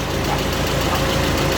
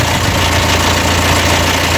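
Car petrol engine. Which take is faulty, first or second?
second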